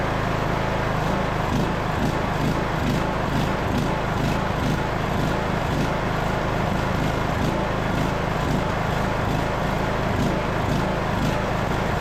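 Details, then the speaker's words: Craftsman LT2000 riding mower after carburetor work, air box and air filter not fitted: a loud single-cylinder drone at full RPM with a slight rise and fall. This is a mild surge, and the owner thinks fitting the air box and filter may help. "So far it seems to be running pretty decent. Definitely has a little surge on the full RPM, but it might help too with the air box and an air filter on there."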